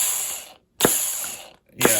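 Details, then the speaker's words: 2008 Duratrax RTX-27 1/8-scale nitro monster truck on a roto start: two short starter whirs with ratcheting chatter, engine barely turning over; the one-way starter bearing is slipping again, likely not repairable. "it's it seems to be catching but it's it's just not very good i can hear the cylinder spin over a little bit but i wouldn't say this is good this is quite bad"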